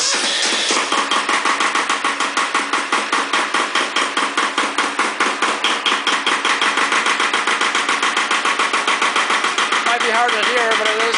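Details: Second Iseki tractor diesel, glow-plugged and started at 70°F, bad solenoid, lacks power and weak below about 1000 rpm: hard, fairly even clatter about twice a second just after starting; knock cause unclear.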